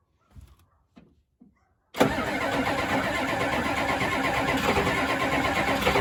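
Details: 1992 Ford F-250 7.3 diesel, 4WD 5-speed, sitting since 2004, on two mismatched batteries, no ether: a few faint clicks, then steady cranking without firing; cranks but won't start, glow plugs may need cycling again.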